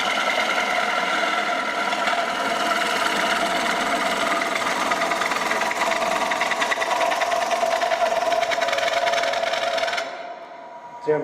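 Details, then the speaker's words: Bowl gouge cut on a woodturning lathe as the bevel stops rubbing: rapid buzzing chatter, about three per second, until the tool lifts off. Tool chatter from loss of bevel contact. "I'm starting to lose my bevel. You hear that chattering? That's because I'm losing my bevel."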